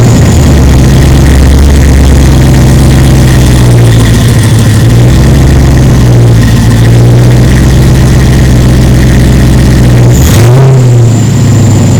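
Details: 1936 Chevy sedan with rebuilt 6.0L LQ4 LS swap, first start, no coolant, on jacks: deep steady idle with a brief dip when shifted into gear, then keeps running evenly; normal.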